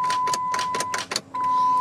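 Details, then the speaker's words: Jeep with a dead battery after an old-style charger was hooked up backwards on its 50-amp start setting: rapid clicks about five a second over a steady chime, engine never cranks, even after 10 minutes on charge at 50 amps; owner suspects a fried solenoid. "It does that even after sitting on the charger for, you know, 10 minutes, even on 50 amps."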